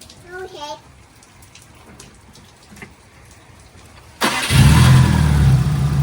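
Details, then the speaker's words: 2005 Subaru STI first start after in-car oil pump install and timing covers refitted, oil pressure primed by cranking with crank sensor unplugged: fires after a pause into a steady, even idle, no knocks or rattles; AFRs good, oil pressure holding. "Oh, she's idling well. AFRs look good. Down here, oil pressure holding. Idling literally perfect."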